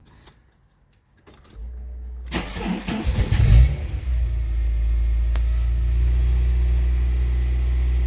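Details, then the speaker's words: Mk2 Golf at tick over after starting, idling high with occasional stumble; misfiring and high idle for about a week, owner first suspects an air leak; later traced to a faulty coolant temperature sensor. "That's tick over. The Golf's been misfiring and idling high for about a week or so, and what I'm going to do first is check for an air leak, because I think that will be the #1 cause."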